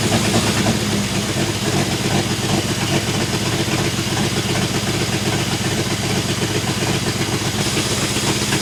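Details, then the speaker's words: 1966 International 1200A pickup, not yet at temperature, being revived after sitting: loud, blatty, uneven idle with raw popping and chuffing; exhaust leak has worsened, half the muffler on the ground, essentially open header. "like crap but it needs an exhaust really bad if you can believe it the exhaust the exhaust leak has gotten worse the half the muffers on the ground"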